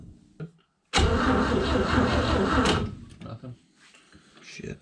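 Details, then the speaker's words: 1960 Chevrolet step van, first crank attempts: starter churns evenly for about two seconds and the engine never catches or fires; still no spark, cause unknown. "like didn't really have high hopes for it um something else is going on it's still not getting any sort of spark so i don't know"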